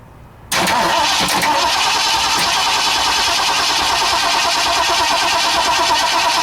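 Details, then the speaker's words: 1960 Ford F100 with 351 Windsor V8, not run in decades, fuel primed into the carburetor, valve cover off: steady cranking about three beats a second with no firing. The ignition hot wire had come disconnected, cutting the ignition feed. "Oh, my hot wire got disconnected. It's not firing anymore."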